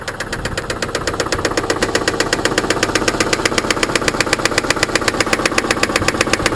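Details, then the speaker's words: Engine knock at idle: a sharp, loud metallic knock about four times a second, in step with the engine and coming from inside it. Possible causes suggested are a broken piston ring, piston skirt, bearing or pin knock. Stop the engine immediately. "Primul simptom care poate indica faptul că motorul tău are o problemă și că ești practic la un pas de dezastru sunt bătăile motor."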